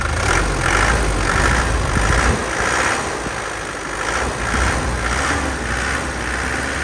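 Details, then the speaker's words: 2007 Isuzu Panther Grand Touring diesel, engine dry with no oil seepage, revved in a few blips: picks up cleanly, falls back smoothly, steady clatter with no knocks or rattles; engine sounds healthy. "Mesinnya aman, Bro."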